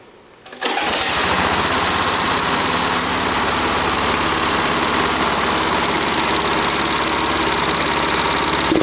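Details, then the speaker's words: Go-kart engine in race kart mode at full throttle, RPM gauge on spark plug wire, target max 5,200-5,300: steady high-pitched even drone, revving to about 5,220 RPM; within spec, normal governed top speed. "Okay, so it revved up to, I think, 5220. That's in the range that it's supposed to rev to."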